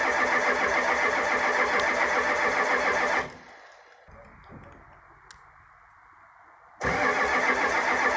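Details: 1985 Ford F250 6.9 IDI diesel, 4-speed manual, unstarted 4–5 days at down to −27°C, −17°C today, frosted engine: steady even cranking about four turns a second, never fires, pause, more cranking; no-start from gelled fuel, no anti-gel added.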